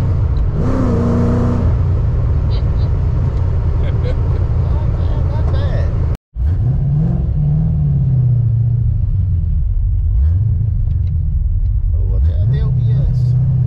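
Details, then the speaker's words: Tuned 331 stroker V8 in a GT, driven after a failed brand-new part left it dead; deep burble revving up and settling back cleanly several times, no misses or popping, firing on all cylinders. "yeah yeah you tell it wasn't just a 302 with some heads on it this engine's smooth i mean it feels amazing"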